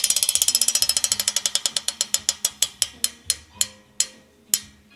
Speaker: écoutez le roulement de ça c'est vraiment un truc le roulement c'est quoi DT Suisse 180 le le corps de roue libre écoutez ça